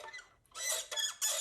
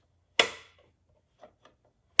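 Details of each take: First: 1985 original Nintendo NES, cartridge door rubbing on two small metal pieces on its mechanism: three sharp high squeaks as the door swings; squeaking, gummed-up cartridge door hinge, fixed by lubricating it. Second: NES cartridge door after lubricating the gummed-up, previously squeaking hinge: two crisp plastic clacks with faint clicks and no squeak as it opens and shuts smoothly.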